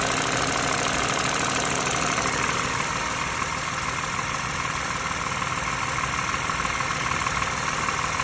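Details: Used US-spec 2013 Lexus RX350 base, petrol V6 at idle: light busy rattle ticking over the steady hum about three a second, also heard in cabin; front right engine mount recently replaced, air filter changed; cause unknown.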